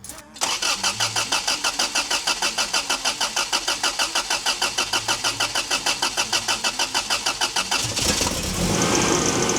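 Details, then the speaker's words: 1985 Toyota 4Runner with 3RZ-FE swap after cylinder 2 misfire, fuel injectors reinstalled: steady cranking about three pulses a second for eight seconds, then catches into an even idle; running well apart from a squeaky pulley. "She's running mint other than a squeaky pulley."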